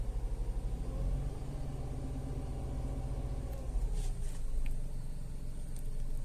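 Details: Tata Altroz petrol after its 3rd service with oil and air filter changed: revs drop from about 1000 to a low, quiet, even idle hum with no ticking or misses. Idle is normal and slightly smoother.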